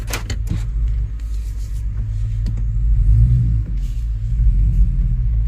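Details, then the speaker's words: 2005 Chevrolet Tahoe 5.3L 4x4 with new fuel pump, previously rough running, stalling and P0174 lean, after repair and two hours running: deep, steady, even idle with no stumble or misfire, running like new. "look at that how nice this thing is running it's like a brand new truck"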